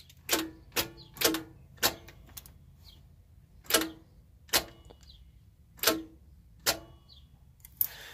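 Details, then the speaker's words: RV starter on key turn: sharp dry clicks about once a second, uneven spacing, engine never cranks; owner suspects the starter is stuck, not confirmed. "so yeah see how it's just clicking so you can hear that it's trying to turn the starter but it can't because it's probably stuck"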